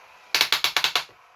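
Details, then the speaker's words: Homedics massage seat cushion, faulty roller unit opened up and running: quick burst of about seven sharp clicks, roughly ten a second, then quiet; one rotating roller skips, likely slipping gear teeth. "come on stopped it's just so this one that skips"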